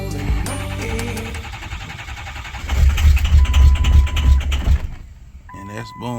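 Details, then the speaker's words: 2006 Ford F350 6.0 Powerstroke diesel after sitting five to six years: catches, then lumpy uneven firing, misses badly and stumbles five or six seconds before dying; owner suspects fuel injector problems. "it's missing pretty bad so I might have some fuel injector issues I don't know but it seems like when it does fire it stumbles for those five or six seconds it seems like it's starting to clear up but then it dies before it can clear up"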